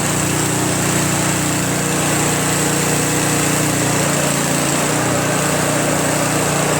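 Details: Craftsman Trac Plus 23-inch dual-stage snowblower, 5 HP Tecumseh single-cylinder, first cold start after a year stored without stabilizer, fresh gas, full choke: steady even putter, no misses or knocks, idles smoothly; normal cold start.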